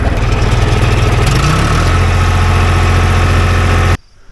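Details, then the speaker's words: 2.4 L diesel with a dead battery, jump-started on an Andeman E-P155 Pro pack; catches, drops from start-up surge into an even, steady idle clatter, then cuts off cleanly: normal idle. "you know pushing a diesel engine to turn over is a lot of power so I'm surprised this thing had it didn't really use that much juice either so that's cool"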